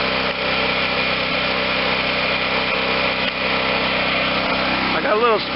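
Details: Garage-sale Wen 4050 generator with new carburetor, tank feeding the carb, running without load; even, steady, slightly high-pitched buzz with no misses or hunting, engine speed needs turning down slightly, otherwise sounds like new.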